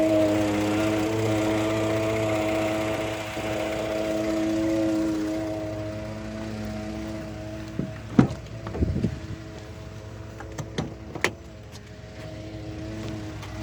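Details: 2013 Ford F-150 EcoBoost in park: steady idle hum with a buzzing vibration that fades partway, then a few clunks. It also vibrates between gears when shifting. The dealer couldn't duplicate it, and the cause is unknown.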